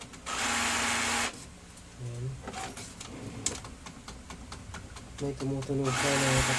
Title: gear noise when gets paper #brother Dcp-T420w, #fixed #broken #gear